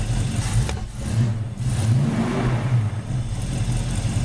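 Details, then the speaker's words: 1982 Ford Mustang GT Foxbody, first start after full revival with all-new parts: deep steady rumble with a light rev blip settling into an even lope, no knocks or ticks, good pressure; normal idle. "got a lot of pressure idling great all right I'm going to shut her down"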